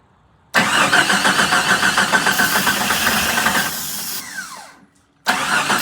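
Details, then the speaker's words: Long-sitting 1987 Jeep Comanche started on ether after being cranked to circulate oil. It runs a few seconds with a light, quick ticking over a rough beat, stalls and restarts. Owner hopes it's valve lash or lifter tick from sitting. Valve train ticking. "well it runs I'm hoping that that was some valve lash you know some lifter ticking because it's been sitting"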